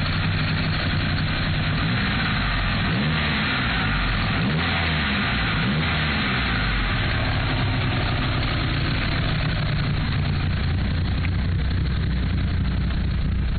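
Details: Mitsubishi Evo III: low, uneven loping idle that never settles; rough running, owner suspects bent valves, unconfirmed.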